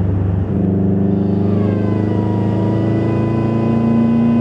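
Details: 2011 Subaru WRX, stage 2 tune, noise began second day after: a thin whistle rises with revs under acceleration, only in boost and fading in high boost; owner suspects a boost leak, unconfirmed.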